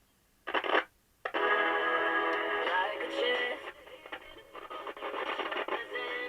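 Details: Japanese Regentone portable transistor radio from around 1964, with capacitors reforming: short burst at switch-on then clear music and singing, still slightly noisy with some pops; receiving properly.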